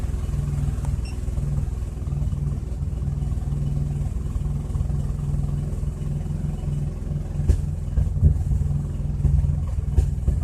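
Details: 2004 Chrysler Crossfire at idle: low, uneven, loping idle that never settles, checked with an OBDII scanner; rough idle, cause not identified.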